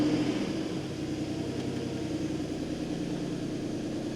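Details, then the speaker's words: BMW E39 528i after coolant system overhaul, fresh start with check engine light on about 30 seconds in: uneven, lumpy idle with irregular stumble; runs rough. "But yeah, it's not running very well. I don't know if you can hear it, but it's not running well."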